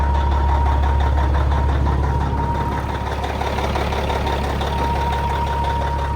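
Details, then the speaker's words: 1994 Peterbilt with old Caterpillar diesel (electronic E version, not B) at an auction yard, decent oil pressure: deep, steady idle around two and a half firings a second, even clatter, no misses or knocks; healthy. "God, it still sounds good though. You can't beat these old cats."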